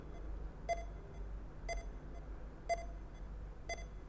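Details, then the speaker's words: DIY real-time temperature monitoring and alarm system, sensor heated to about 32.8 °C and cooling toward 31: steady short mid-pitch beeps about once a second over quiet hum; over-temperature alarm beeping. "Ini alarmnya bunyi ya, kalau kita dengarkan suaranya."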